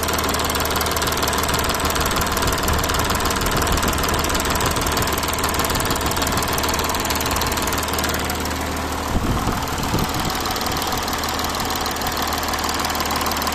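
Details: Audi A6 (4G) engine at idle: steady hum with a faint knock repeating roughly twice a second. Idle knock of unknown cause.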